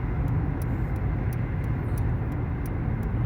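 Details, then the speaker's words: Dodge Avenger (possibly 2012) on a road test after front hub bearing and brake replacement: steady low road noise under braking with no growl or rumble. Bearing now quiet. "aquí ya quedó muchachos ya no más escucha el aire de afuera ya no se escucha el rumbo"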